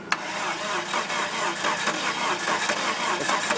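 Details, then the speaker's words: 1998 Dodge Neon, jump-started battery, after fixing a broken loose coil connector: uneven cranking chug with brief firing attempts that never catch; suspected off timing or something in the cylinder, not confirmed, later finally started. Crank but no start, engine catching. "catching he doesn't want to do it sounds like it's off time"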